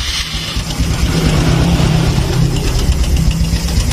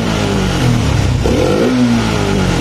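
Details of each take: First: Honda Supra X 125 fuel-injected motorcycle on first start after tune-up and reassembly, fresh oil: loose rattle chattering over idle; cam chain slack because the tensioner has not yet filled with oil. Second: Honda Supra X 125 fuel-injected single after tune-up, fault codes cleared and ECU reset: picks up cleanly on a quick throttle blip and drops back smoothly, no hesitation or popping; normal throttle response.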